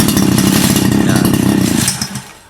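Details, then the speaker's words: 2-stroke grass trimmer at idle given throttle: engine buzzes raggedly, can't climb in revs, then sags and dies within two seconds; fuel starvation from a clogged carburetor jet. "ถ้าหากนะครับอาการเดินเบาติดเร่งแล้วดับนะครับเร่งแล้วดับ"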